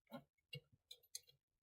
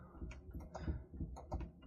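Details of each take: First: Heating zone valve after the synchron motor was replaced, with heating demand on from the thermostat: faint motor hum as it drives over, then crisp clicks as it latches. Normal zone valve motor operation. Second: Quiet, uneven low throbbing rumble, about three pulses a second, from a failing central heating pump; boiler temperature rising too quickly toward overheating, so a pump swap is planned.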